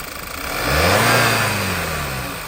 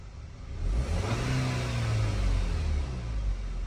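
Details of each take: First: 2011 Volkswagen Eos 2.0 TSI after OEM PCV/crankcase breather valve replacement, misfire code persisting: uneven stumbling pulses at low speed as engine blips and settles; vacuum leak suspected at oily timing cover gasket. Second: 2011 Volkswagen Eos 2.0 TSI after OEM PCV valve and timing cover gasket replacement fixed a vacuum leak and misfire, revving deep and even, settling cleanly with no stumble or codes; normal revving.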